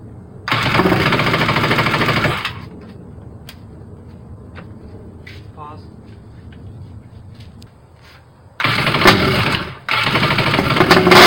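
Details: Rebuilt two-stroke jet ski on its trailer, first start with carbs cleaned and new longer spark plugs, crank bearings somewhat worn: two loud, raspy high-revving bursts with a quiet gap; crisp, even, healthy running.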